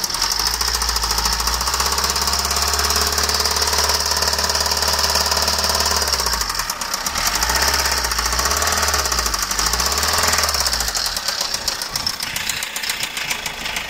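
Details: Fiat 1.3 Multijet 16-valve turbo diesel van run low on oil: sharp, hard metallic knocks of about three or four a second through the diesel clatter, worse on acceleration. Rod 1 had excessive play, a crushed and spun bearing, and a badly scored crankpin.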